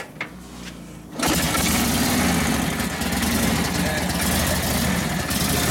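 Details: 1942 Harley-Davidson WLA 45ci flathead V-twin, after sitting a few years, tune-up, started without priming: second of quiet, then catches at once and settles into steady lumpy idle; normal start and idle.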